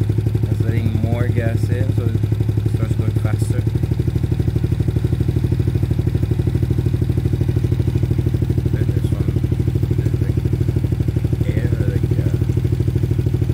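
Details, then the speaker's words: Trailmaster Challenger 300 go-kart after replacing a broken carburetor that made it die at stops: steady single-cylinder chug rising slightly in speed as the new carb's adjustment screws are turned. "so to adjust the new carb i move this one and this one let's see if you hear the difference on the engine"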